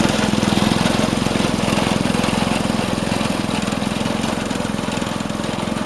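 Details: Vintage Craftsman 18-inch snowblower single-cylinder after carb fine-tuning at full throttle: brisk, even putter about three and a half beats a second, holding steady; normal running at full throttle.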